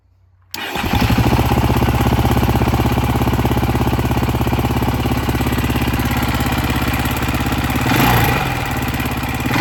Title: KTM EXC 530 2010 backfiring and noise from engine.